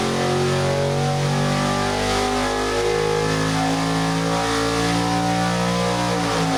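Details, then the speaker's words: Crisp, rising V8 howl held hard toward high revs, even firing, no misses, as a new 6.4L Gen III HEMI with Holley High-Ram intake and Terminator X Max EFI is swept 3,500–7,000 rpm on the dyno; made 562 hp, 478 lb-ft. "crank crank that up just uh okay don't don't get scared because we're gonna go uh uh 3 500 to 7 000 oh that sounds nice"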